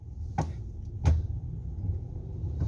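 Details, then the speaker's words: Hyundai Santa Fe at idle: sharp clicks, about one per second, each time the steering wheel reaches full lock left or right. The cause is suspected inside the steering box, not yet confirmed. "Toda vez que estece o volante pro final de um jogo, tanto para a direita quanto para a esquerda, ele tá fazendo um barulho, né, um estalo."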